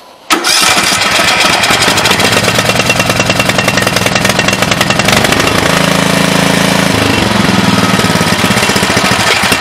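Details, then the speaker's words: Craftsman T100 riding mower with Briggs & Stratton engine, after replacing the carburetor with an aftermarket unit (fits 590400 and others). The small single-cylinder engine catches and runs at a fast, even chug, then settles to a lower idle. It sounds healthy, normal running. "so let's see if it cranks up and then it's time for me to get on to the next thing sounds like a mower"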